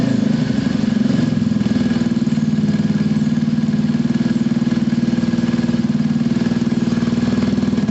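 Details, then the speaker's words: Scooter after a fuel problem fix, still warming up with automatic choke possibly on and rear wheel spinning. Small single settles into a smooth, even idle of about three pulses a second with no misses; normal idle. "You can hear it, guys, it's absolutely spot on. There's no issues at all with that running."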